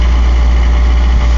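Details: 240D diesel with white smoke, at the lowest idle it reaches: steady clatter at a raised, unchanging idle that won't settle lower; high idle.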